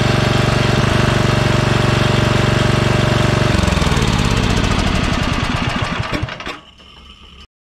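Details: Yard Machines by MTD model 638 RL riding mower, carburetor cleaned last year, fuel filter changed, fuel line suspected of restricting flow: steady single-cylinder thumping slows, stumbles and dies; stall, cause not confirmed.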